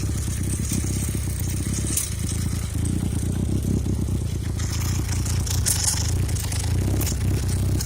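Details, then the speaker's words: Motorcycle idling with its right-side carburetor float needle leaking, making that side run super rich: low, lumpy idle cutting out and skipping beats with near-backfires; owner will fix the float needle. "Yeah, you can hear it kind of cutting out and skipping a beat, almost a backfire, because this side is running super rich."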